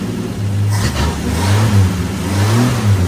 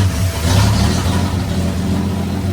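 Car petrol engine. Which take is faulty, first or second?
first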